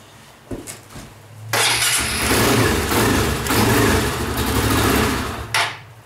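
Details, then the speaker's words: Pressure washer engine with two-stage choke, started cold on full choke: after a few pulls it catches and runs ragged and surging for about four seconds, then dies; it won't idle cold but idles fine once warmed. "See, like it won't sit there and idle though, which is weird, but it'll idle once it's warmed up fine."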